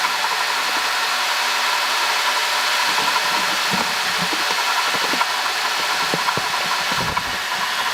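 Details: 2005 Honda Odyssey (registered Nov 2005, 268,167 km, CVT) at steady idle: hissy, gritty whir unchanged with the engine, from a worn water pump bearing; replacing the water pump, thermostat, thermo switch and coolant cured the noise.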